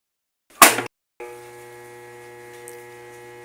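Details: Whirlpool washing machine, set to spin, gives a sharp click then a steady electrical hum when switched on and does nothing, no spinning; motor fails to start due to a damaged start capacitor, which was replaced to fix it.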